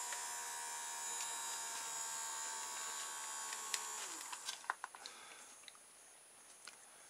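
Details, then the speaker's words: Old puffy LiPo battery from a Nano Copter powering a styrofoam tray hovercraft's small fan motor; a thin high buzz sags and fades within seconds because the battery won't hold charge, so it's being retired. "it's gone puffy again so that's not good you can hear it's not holding charge very long is"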